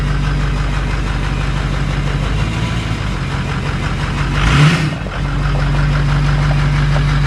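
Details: 2005 6.0 diesel single cab with a cylinder 8 contribution fault and smoke when warm: lumpy, uneven idle with a missing beat; misfire, owner suspects low compression from bad rings, leak-down test pending.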